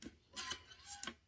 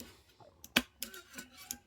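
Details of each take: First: NES cartridge tray after the plastic guide was extended with a rotary tool: two soft sliding swishes down and up, with no click from the metal pin jumping over the guide. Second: Original NES cartridge tray pushed down: sharp crisp plastic clicks as the metal pin pops over the end of the plastic guide; partway through fix of enlarging guide cavities with a rotary tool, still slightly clicky.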